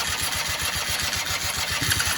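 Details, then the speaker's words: Long-unused quad (ATV) cranking on battery charger after fuel filter added, weak battery: fast, even cranking pulses with a harsh hiss, no sign of catching; turns over but will not fire. "oh he's trying to start boys oh come on old girl come on old girl"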